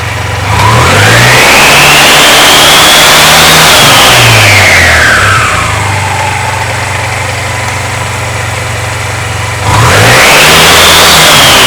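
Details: Honda Silver Wing 600 scooter with new belt, after clutch teardown, driven pulley nut torqued to 40 ft-lb and drive bolt to 76 ft-lb, emergency brake on: two smooth rev blips, CVT clutch takes up cleanly with no squeal; likely was clutch pads.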